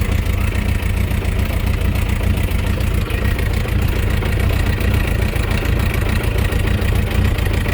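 Idling engine with a dull, uneven knock roughly once a second under the steady run; knock present, cause unclear.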